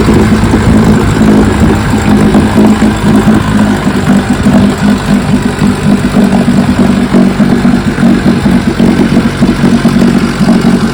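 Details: 1957 Johnson 15 HP outboard (FD-10L), first run after 60+ years following magneto, carburetor and lower unit restoration: steady even two-stroke drone with no misses, knocks or surging; running healthy.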